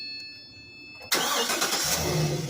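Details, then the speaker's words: GMC van that would not start after a fuel pump change, traced to a broken chassis ground wire and temporarily grounded with jumper cables: quiet, then it catches at once and settles into a steady run. A clean, normal start. "you go now she's stuck one simple chassis ground could cause all of that problem"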